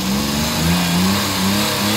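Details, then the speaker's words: Suzuki DA64/DA63 after repairing burnt wiring harness that touched the exhaust: revs up and settles smoothly with steady drone, no vibration, no check engine light. "natin wala na siyang vibrate Okay so yun mga basic pointes guys"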